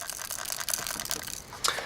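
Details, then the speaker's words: Atari 2600 paddle controller, which also has bad jitter, shaken by hand: light irregular plastic rattling and ticking from a loose piece inside the housing; cause suspected, not confirmed. "these do work but they do have a pretty bad jitter problem that i'm going to have to fix and this one does rattle if you can hear it"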